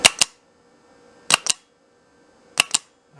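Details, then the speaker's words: Manual car with no-crank problem, clutch switch hardwired: three crisp double clacks about 1.3 seconds apart as the starter solenoid engages and drops out cleanly; the solenoid part works and the fault lies elsewhere. "I'm assuming the starter is just bunk, because I hear the solenoids clicking."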